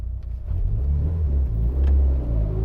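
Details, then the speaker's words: Mitsubishi Evo with ACT twin-disc clutch, revved to about 2000 rpm and clutch released slowly: engine held near two thousand revs then even pull-down as clutch takes up, no shudder or chatter; smooth clutch engagement. "so yeah i held it i revved up about 2000 rpms held it around two slowly released the clutch nice smooth engagement feels good no chatter there no complaints"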